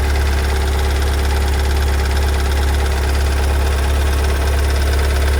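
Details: 2022 Kia Sorento MQ4 2.2 diesel, cold start and idle just after two weeks in dealer service: a steady knock of about two per second over a deep rumble; the car never did this before; cause not yet known.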